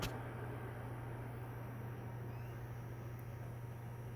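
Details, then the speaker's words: PS4 disc drive after cleaning and repair, with some case screws stripped and loose, reading a Rock Band 4 disc: a low, even hum of the disc spinning up and holding speed with no grinding or clicking. The drive reads normally. "Okay, it's reading it. Let's play it just to see after it copies."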